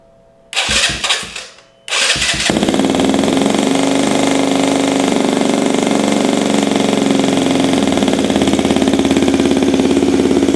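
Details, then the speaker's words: 2023 Benelli TNT 135 single, first cold start after DCR cam and custom ECU tune install: brief crank, then a loud, fast, busy idle well above normal cold tickover; owner finds the idle too high. "You hear how high the idle was? I mean, yeah, it was loud. I mean, it is cold. But that idle just seemed like stupid."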